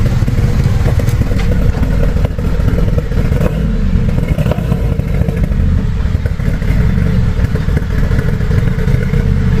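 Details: BMW F32 with iPE exhaust, with loss of power and drivetrain error: rough, lumpy idle with irregular thuds and stumbles under a deep exhaust rumble; mechanic traced the misfire to a faulty ignition coil.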